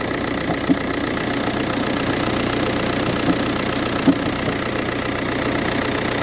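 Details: VW Touran 1.9 TDI cold start, morning only: diesel clatter at idle with a few louder irregular knocks about once a second; no issues when driving or changing gears; source unknown.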